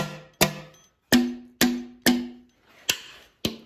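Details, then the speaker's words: Mopar Hemi engine on an engine stand, valves tapped to check whether they are free; seven irregular sharp taps, some dying off hard and dead, others ringing or bouncing back; the dead-sounding valves are stuck. "ooh that one sounds hard yep that one's stuck ooh that one bounced back man that one's stuck"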